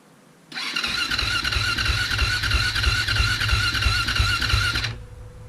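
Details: 2007 KTM 450 SX-F, cold, choke on, fuel on, in neutral, second start attempt: fast whirring starter with rhythmic low thumps about three per second for four seconds, no firing; cranks but won't start.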